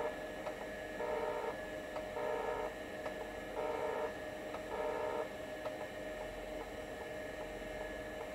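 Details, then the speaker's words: Seagate ST-277N 65MB 5.25" drive converted to ST-277R RLL with ST-251 board, low-level formatting: chirpy seek chatter about once a second over steady whir; healthy despite a few defect-table errors. "Still sounds really nice. A few errors here in the defect table is no problem at all."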